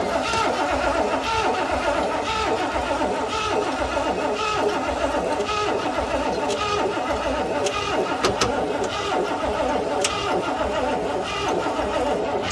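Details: 1988 Ford Bronco that sat about 24 years, being cranked: steady rhythmic starter chugging for about twelve seconds, but it never catches and runs.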